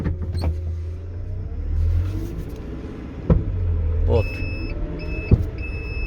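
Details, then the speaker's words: GAZelle Next with new Evotech 2.7 engine just installed: heavy single clunks hitting the body on start, shutdown and hard take-off, worse over bumps; loose cab body mount at left wheel onto frame knocking, fixed by tightening bolts. "вот такой вот стук прямо стук отдает очень сильно на кузов"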